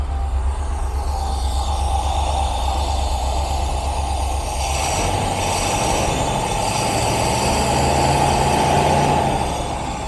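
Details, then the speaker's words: 1972 Rover 3500 P6 V8, off the road 12 years, choke out after new ignition points, before carb tuning: steady, even idle with smooth low burble and faint whistle, no misfire; running better than before. "Pull out the choke. Yes. I actually think that is running better than before."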